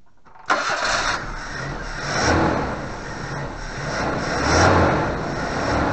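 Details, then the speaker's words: 1988 Suzuki Vitara 1600 wide boy auto, carbureted, off the road since 2004, fuel pump problem fixed by converting to a fused electric pump, air filter off with a pipe plugged. Quick crank, then it fires cleanly into a smooth idle with easy blips; runs healthy. "lovely success it runs next time we'll find out if he moved hasn't moved for years only on the push power so that was fairly simple to get going"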